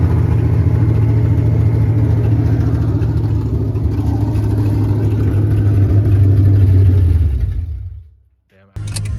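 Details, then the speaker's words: 1989 Ford Mustang GT Fox body V8 (cammed build) runs about a minute after idle screw adjustment, TPS still reading 5 volts: catches with an uneven lumpy beat, then fades and stalls near eight seconds. "Alright, so we got the car to run for like a solid minute. It runs. You know, we play with the idle screw. Still getting 5 volts at the TPS, I'm not really sure."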